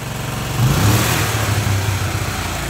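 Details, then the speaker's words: Single-cylinder motorcycle revved with smoke from exhaust and carbonised oil-crusted spark plug; thumping rises with throttle then settles; not valve seals or gasket but worn rings and piston burning oil, engine needs rebuild. "quando ela tiver assim não adianta você perguntar se é ah se é retentor de válvula se é alguma junta que estourou nada disso pessoal"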